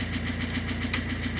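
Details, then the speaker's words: 2005 Ford Fiesta 1.4 diesel after replacing the ignition switch contact group, which caused hard starting and stalling while driving; steady, even diesel clatter at idle with regular firing and no stumbling or dying. "Якби я вже зараз не крутив автомобіль не глохне Він працює"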